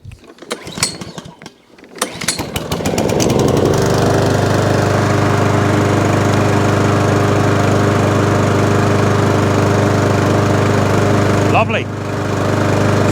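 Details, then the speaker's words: Mountfield SP454 mower, cold start at about 3°C after long disuse, after fixing an underside knocking noise and sharpening and balancing the blade: rapid cranking, then a steady, even run with no knocking; normal idle. "good fixed it now all runs drives no hideous noise and i fixed that for nothing"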